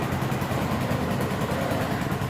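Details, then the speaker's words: 2011 Yamaha Jupiter MX carbureted single, ignition faulted for lacking power under load and uphill: after ignition checks, even smooth idle putter with no misses, knocks or surging; normal idle. "kita akan coba dengarkan suaranya ya teman-teman suara mesinnya seperti ini biasanya pun sangat senang sekali"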